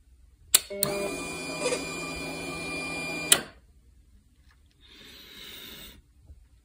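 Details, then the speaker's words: Kawasaki Ninja 300 with a patched car relay for burned wiring: at key-on a sharp relay click, a steady whirring fuel-pump prime of about two and a half seconds, then another click; normal. "that really should close as soon as I turn the key on I should hear it and it does makes it click but you can also hear the let me try that again"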